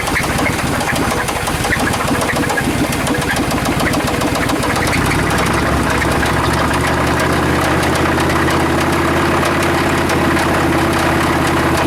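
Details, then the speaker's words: Chevy Suburban with knock and squeak, restarted after Seafoam treatment; light irregular tapping three to four per second over steady idle; valvetrain tap. "the uh sound is coming from this lifter I'm sorry this rocker I'm putting my point right on there I'm hearing it I don't really hear it on any of the other ones"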